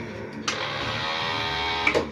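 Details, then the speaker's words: Keeway K-Blade 125 Euro motorcycle: pressing the start button gives only a steady electric buzz for about a second and a half, starter never turns; no-crank, cause still unknown. "Hindi siya re-redondo. Kahit yung starter, hindi nagre-redondo. Pero, meron siyang tunog na ganyan, oh."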